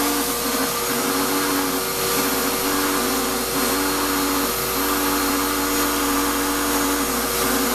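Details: Shop-Vac vacuuming coarse grit from a rock tumbler: rough whining hum with gritty note rising and dipping every second or so; owner says dust previously pulled through the motor before adding a dust separator pretty much destroyed it, little suction. Grinding motor whine.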